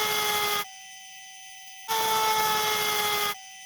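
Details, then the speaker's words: RC 1800 KV motor with pump connected as load; two bursts of high electric whine at steady pitch with silence between, RPM lower than the unloaded spin; normal motor speed drop under load. "can you hear how the RPM under the load drops compared to what we just heard before as soon as you load the motor the RPM will drop"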